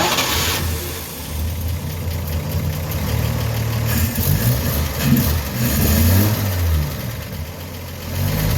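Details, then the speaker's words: Rebuilt 1953 Chevy 3800 truck engine after cleaning plugs: low, slightly uneven rumble settling into steady idle with no knocks or misses; sounds healthy, though owner thinks too much choke. "really sound very good yeah i think i got oh too much choke on it"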